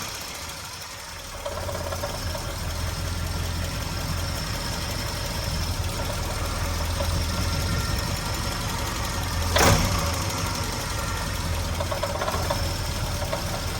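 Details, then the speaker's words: 1980 Triumph Spitfire 1500 engine: an uneven light rattle at low idle below about 900 rpm, sounding normal at 1000 rpm and above; owner rules out ignition, water pump, alternator and loose pulleys, cause unknown. "pressure at 1,000 RPM it sounds fine normal and at higher RPMs also But at low RPM below about 900."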